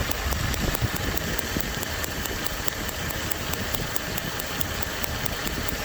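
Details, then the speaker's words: Dodge W300 Club Cab with random misfire, smoking oil and fuel: sharp even spark snaps ~5/s over rough idle while checking each plug wire; cylinders never miss a beat. "hopefully you can hear it popping there is numeral 2-0 never missed a beat"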